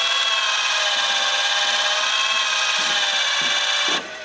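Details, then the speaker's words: Alfa 145 headlamp levelling motor moving between driving and lowered height: thin steady buzzing whir for about four seconds, then stops abruptly; only slight difference in beam height, owner suspects one side not moving, fault unconfirmed. "I can hear it working. That is regular driving height. And that should be lowered height. There is a slight difference."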